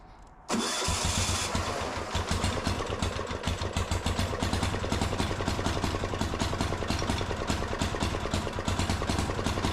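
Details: Gravely C10A repowered with a 418cc Yanmar-clone single-cylinder diesel, first start: cranks briefly, catches and settles into a loud, steady, even thumping idle with no knocks; running fine.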